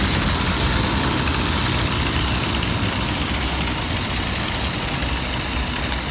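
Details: Small two-stroke weed eater after a no-spark repair: rusty contacts sanded, coil, spark plug and carburetor mesh replaced. Buzzes at a steady, even idle with no misses or surging; now running normally.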